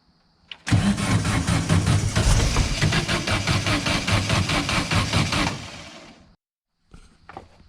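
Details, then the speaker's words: Silver Volkswagen car, not running, morning, old spark plugs, oil cooler puking oil, water in car: starter cranks about five seconds but never starts; only cylinder two tried to fire, pipes cold; new plugs suspected needed. "Yep, same thing. She does not want to go. And only number one over here's, yeah, all the pipes are cold."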